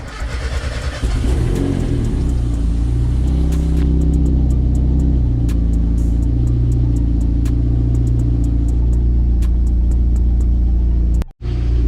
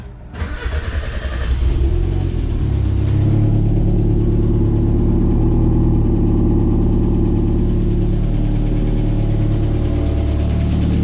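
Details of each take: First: Miata just jump-started on its old ECU, warming up to bring on the fans: after a rev it settles into a steady fast idle with faint, irregular light ticks on top; a lifter tick is suspected and expected to clear up. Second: 1991 Mazda Miata with a built turbo motor, after suspension height and alignment work: catches after a rough few seconds, then settles into a steady even run with no misses or knocks. Runs fine; the alternator later failed.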